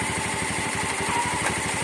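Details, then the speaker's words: 2016 Honda Scoopy that stalled showing error code 52 (not the CKP sensor), now running after repair; long unused, light low compression, possible carbon buildup; coil reportedly ran very hot. Steady, even putter with no misses or knocks; normal idle. "Oke teman-teman, sekarang sudah berjalan. Tadi tadi hanya kompresi rendah ringan. Sepeda ini sudah lama tidak digunakan, jadi mungkin ada penumpukan karbon."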